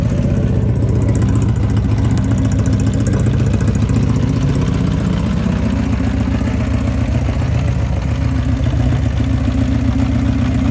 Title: 1980 CB750F SuperSport Valve/Piston Slap or Loose CCT